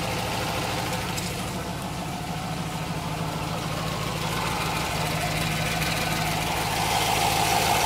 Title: What's that banging sound? Oops